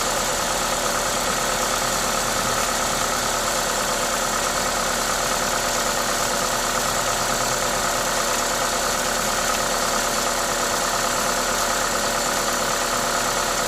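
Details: Toyota 2ZZ-GE engine at normal idle: smooth, even idle with steady hiss from the induction kit over the top, no knocking or misfire; healthy engine.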